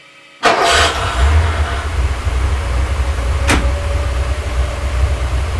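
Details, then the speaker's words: Porsche 928 V8, first start after an engine rebuild and 18 months non-running, small leaks tightened. Fires promptly and settles straight into a steady, even V8 burble with no hunting or stumbling: normal idle. "it's looking pretty good it's sounding decent it's a really nice party V8 engine sound and he's staying alive"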